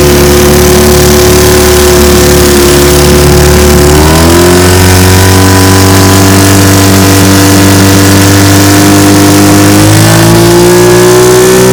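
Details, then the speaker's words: Restored 1950 Johnson TN-28 5 HP outboard on bayou test run, pushing a 14 ft 1957 Feathercraft about 10 mph: smooth, steady drone stepping up in pitch twice as throttle opens, no misses or rattles; running well. "so as you can see she's a beauty pushes my 14 foot 1957 feathercraft about 10 miles an hour it's pretty awesome"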